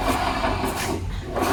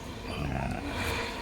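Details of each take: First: Honda Vario 125, rear wheel spun by hand on center stand, engine off: rough, crunching grind in uneven surges from rear; damaged rear pulley bearings, barely heard when riding. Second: Honda Vario 125 after replacing the large and small bearings on the rear CVT pulley: rear wheel spun by hand gives an even, steady whir with no grinding or "srok srok" roughness; bearings now smooth.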